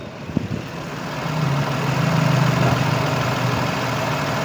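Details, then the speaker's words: Renault Kwid Climber at idle after water pump replacement, mic at the same level as the before recording: a quiet, even idle settling into a smooth low hum with no whine or rattle, about 90% quieter; normal idle. "Mike जो आहे मी सेम लेव्हलला ला ठेवलेल आहे आणि गाडी 90% तरी सायलेंट झालेली आहे. काम फर्स्ट क्लास झालेलं आहे आणि मी सॅटिस्फाईड आहे."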